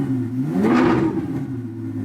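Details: Ferrari 458 V8 catches, and the revs rise quickly to a smooth, clean howl before settling back to an even idle; normal healthy V8 start and rev.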